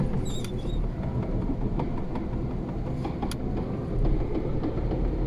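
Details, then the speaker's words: Lada Priora manual gearbox on a lift, driven in 2nd to 5th gear with clutch released, no load: low drivetrain rumble with irregular knocks, clearer in 4th; final drive gear knock, noisy differential, gearbox dismantled for repair. "я уже на вторую передачу поставил сцепление полностью отпустил газ слышно ставим на третью передачу скорость не набираем стуки я надеюсь слышно на камеру на четвертую более отчётливо слышно уже"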